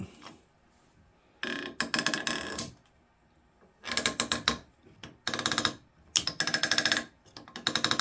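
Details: Removed Honda CR-V sun visor held in a vise: bursts of rapid, ratchety creaking as it is swung on its stiff pivot after spraying silicone, which made it no better, perhaps worse.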